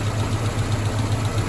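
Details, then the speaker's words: Mazda B2000 truck idling after a #2 rod bearing knock repair: mixed standard and next-size-up bearings, Plastigauge clearances within spec. Low, even idle pulsing about seven to eight beats a second, no knock or clatter; healthy. "I use plastic gauge to check all my work and uh everything came out within spec. It's not right. Okay. But it's not clanging around and getting worse."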